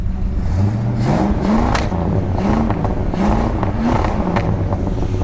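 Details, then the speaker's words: Ford XF Falcon 351C V8 running on petrol primed into the carb bowl, as the rebuilt fuel pump failed, with timing not yet set: revs up and settles cleanly and evenly on each blip; it runs better on petrol. "running better on petrol"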